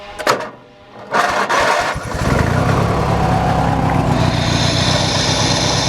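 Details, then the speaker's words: Hechinger (MTD) lawn tractor after new belts and readjustment: a few cranking bursts, then catches and settles into a steady, even idle with no knocks; normal start and idle. "that appears to be acting all right so i'll put on that cover you"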